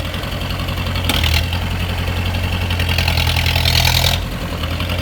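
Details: 1986 Mahindra 500D jeep, International slow-speed direct-injection diesel, just started after standing 18 years: low thumping idle with uneven clatter and engine speed swells; running but not settled.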